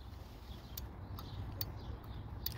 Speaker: So this relay is working fine. Press again and it's working fine.